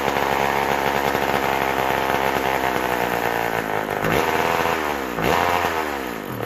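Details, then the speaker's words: McCulloch Power Mac 6 Auto chainsaw, sat about 30 years, needs crank seals, first run: screams at high revs then bogs and sags repeatedly before picking up, won't hold a steady tune; carburetor adjustment likely needed. "sounds like we might have to get back in the car there it's not it's taking a tune but it isn't taking it too"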